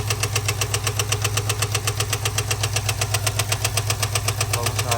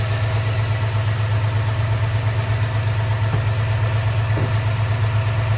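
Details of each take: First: 2022 Ford F-250 7.3L V8 at idle: sharp, very regular ticking knock about two and a half per second. Teardown found a stuck hydraulic lifter with a loose rocker, a broken lifter roller and a damaged camshaft; lifter and camshaft knock. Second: 2022 Ford F-250 7.3L V8 after engine rebuild for hydraulic lifter and camshaft noise: deep, steady idle with an even hum and no ticking, running well.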